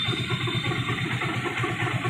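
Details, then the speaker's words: Hero Glamour bike, after another mechanic's full engine rebuild, idling as the clutch is let out: steady single-cylinder idle with rough rattly knocking; mechanic suspects a bearing problem inside the clutch side. "Clutch का bearing problem हो सकता है मुझे जहां तक ग रहा है क्लच के अंदर कुछ प्रॉब्लम"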